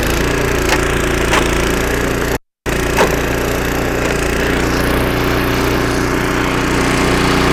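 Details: Snowblower about 25 years old, small engine after carburetor rebuild with carb kit and new needle and seat, clearing snow: steady even drone, no surging or hunting; normal running under load after repair.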